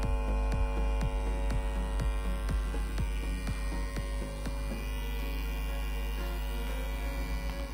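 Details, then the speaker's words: Hera 3 Pro tower speaker switched on with no music playing: a loud, steady, low hum with a faint throb. "तो इसके अंदर जो है काफ़ी बुरी तरह जो है हमिंग जो है हमको देखने को मिल रही है।"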